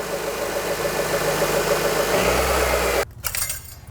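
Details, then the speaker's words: Honda Element after fluid service, with a new battery the owner suspects is junk, jump-started: steady, even idle hum with no knocks or misses for about three seconds; runs smooth. "that doesn't mean i can't throw a charger on it and jump start it seems to run smooth"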